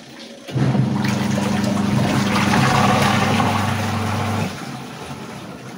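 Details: Sharp EST75MW twin-tub washing machine, final test after gearbox repair for non-spinning washer: steady motor hum under water sloshing for about four seconds, then clean stop, no grinding or rattle; wash drive healthy.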